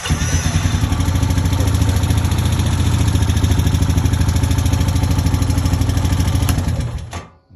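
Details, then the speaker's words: 2010 Honda Rancher 420 ATV after starter replacement with a Caltric starter: starter cranks briefly, engine catches at once and settles into a steady, even idle with no knocks or misses, then shuts off; normal start, test ride seemed fine. "test run started up took for a little ride seems to be fine everything's put back together"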